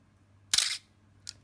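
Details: Canon A-1 35mm film camera with the known shutter squeak, tested after lubricating the mirror dampening gear: one sharp shutter release, then a short thin squeal as the mirror returns and a lighter click; squeak still present.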